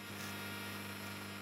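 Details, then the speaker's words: Marantz 7 clone tube preamp kit during debugging, warmed up, played through test speakers: thin steady high-pitched digital-sounding whine over low hum; RF pickup, eliminated by shielding. "if I put this next to the mic hear that sort of like a high-pitched kind of whining sound it sounds like a like a digital kind of sound"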